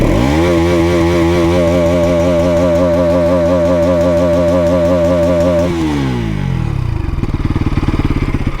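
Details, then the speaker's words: NS200, about 2 years old, in neutral: clean steady rev held several seconds, then a smooth drop to an even idle with no rattle or misses; healthy exhaust note. Owner notes vibration and rattles elsewhere. "So exhaust ನೋಡಿ, 2 ವರ್ಷ ಆಗುತ್ತೋ ಯಾವ ಕಂಡೀಷನಲ್ಲಿದೆ ಅಂತ exhaust sound."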